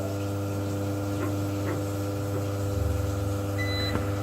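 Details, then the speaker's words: Force FX 2200 UPS on battery backup running gas water heater controller during mains outage; constant low electrical hum and buzz with faint ticking and brief beep, heater still gives hot water; UPS buzzing on battery, cause unknown. "it's working it's actually giving me hot water the UPS is some backup mode so it's working but that noise is driving me crazy"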